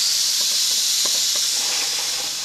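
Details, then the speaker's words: Boiler safety valve on steam blowing down to about 60 lb before reseating, still being adjusted: loud steady hiss easing slightly toward the end as pressure drops; safety valve blowdown. "getting ready to seat getting ready to seat down let's see we're probably oh down to 60 lb right"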